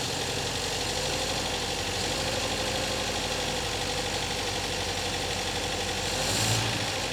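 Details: 1964 MGB that sat nearly two years, after cleaning sticking carburettor float needle valves: engine catches and settles into steady even idle with no misses or knocks; running cleanly now.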